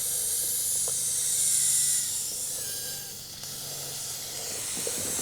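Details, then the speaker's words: Car tire tread puncture, after pulling a screw out and inserting a repair plug with a screwdriver: continuous sharp hiss of escaping air fades and stops as the plug seats; puncture air leak being sealed. "You can hear that air. And it just stops."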